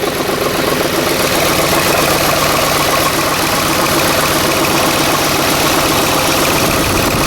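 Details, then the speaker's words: 2010 Ford F-150 4.6 V8 on its first start after a timing chain and guides rebuild, idling about 1,000 rpm with oil pressure up. Uneven stumbling beat under busy mechanical clatter from a steady miss; owner suspects a broken coil and doubts a vacuum line is unhooked, unconfirmed. "Well, got a miss. I'll find out later. I don't think I have a vacuum unhooked or anything."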